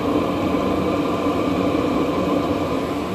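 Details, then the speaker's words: 5 kW Chinese diesel heater on high, diesel used up, now burning shale light distillate and vegetable oil mix (about 70% vegetable oil): constant low rumble and roar, not slowing; no smoke. "can hear it rumbling that's because it hasn't slowed down a single bit"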